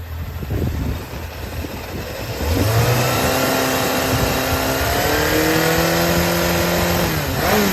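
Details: Yamaha XJR400 4HM early engine assembly, compression tested, start-check run: catches and settles into a smooth, even run, revs rising cleanly with no knocks or rattles; no abnormal noise, healthy.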